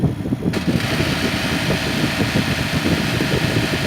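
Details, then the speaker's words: Recently installed Comfee split air conditioner outdoor condenser unit: buzzing rattle over the steady running hum returns when the finger holding it is released; a loose-fitting panel leaves a gap and vibrates against its mount. "ela cria uma folga aqui do lado que essa folga sim ela começa a vibrar"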